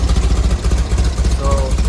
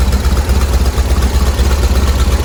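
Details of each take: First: 1970 VW bus with dual 34 carbs and a new CSP bell crank linkage, just started cold with mixture screws at two turns out: lumpy idle with a wavering pulse and uneven beats between cylinders; carbs not yet synchronized, mixture likely needs fine-tuning. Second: 1970 VW bus flat-four with dual 34 carbs, warming up during carb sync after the idle screws were backed off from too high an idle: even, steady low chug with no misses. Idle holds well enough; mixture screws still to be tuned.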